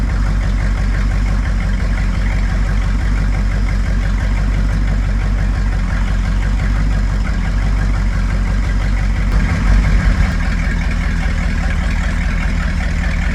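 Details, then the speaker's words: Buick 455 big block (built to 461) in a 1971 Electra 225, never run before, idled down after 20-plus minute cam break-in: deep steady V8 burble, even beat, no knocks or ticks; sounds healthy. "so I'm going to idle it down to see what she sounds like [Music] sounds good it'll sound a [Music] lot"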